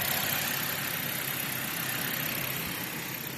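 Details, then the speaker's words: 2013 Dodge Avenger, low-mileage ex-fleet car, idling with the A/C compressor spinning and air already ice cold at about 58°F: smooth, even idle with a steady airy hiss, no knocking or squeal. Normal idle with A/C running. "Let's see if I can see that compressor spinning. Yep, right down here. Oh yeah, it's ice cold already."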